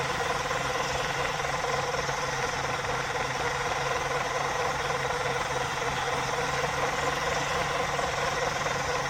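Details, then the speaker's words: RC blue Mini Cooper S car driving in circles after ESC replacement, on a 2S lithium-ion battery instead of 3S: steady electric motor whine with faint regular knock about four per second; knocking seems to persist, cause unconfirmed, body shell suspected by some. "i think i can still hear the noise and put the body shell back on just quickly for those people who think it might be knocking the body work"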